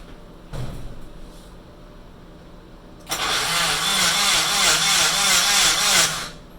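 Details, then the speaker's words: Rebuilt Nissan KA24DET turbo engine cranked with the fuel pump and ignition disconnected to prime oil: starter whirs about three seconds with an even quick pulsing beat and no firing. Oil reaches the turbo; the priming succeeded. "all right so i got the engine primed and all the oil circulating through it's going through the turbo so we're solid there"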